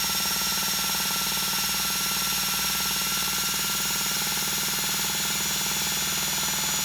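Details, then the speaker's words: Duratrax Maximum Pro nitro RC engine spun by a cordless drill through a 9/16 one-way bearing adapter: steady high drill whine, engine turns over freely with no binding; carb next to be unclogged. "we actually turn it over easy already so let's see if we can unclog the carb while we're here"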